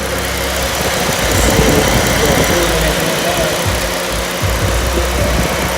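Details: 2006 Lexus IS350 3.5L 2GR-FSE after a full engine rebuild for a blown passenger-side head gasket and cylinder 5 misfire: loud, even idle with a steady low rumble and no ticking or knocking; rebuilt engine running smoothly.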